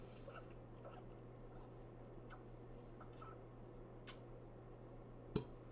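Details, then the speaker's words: Clarinet top-joint pad test, all holes covered, palm sealing the bottom and air sucked through: under a low steady hum, short sharp suction pops come as a finger lifts, showing the pads seal properly. "now notice there's a popping sound when i pick up a finger let's do that again hear that that popping sound means there is a seal so everything is working well on this if it didn't it would mean that one of these pads is not sealing"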